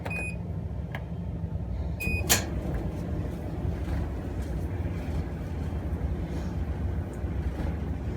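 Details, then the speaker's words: Amana gas clothes dryer, about 12 years old, reassembled with gas back on after a couple drops of oil fixed the squeak: panel beeps and a door clunk, then low, even drum rumble with no squeal or thumping; normal running. "sure sounds a lot better the make of this is uh a manny a-m-a-n-a"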